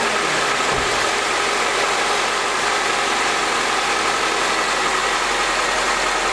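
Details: Idle just after the battery tester's cranking test: steady, even hum with no knocks, misses or whine. Charging reads 14.16 V unloaded with normal ripple; engine and charging system healthy.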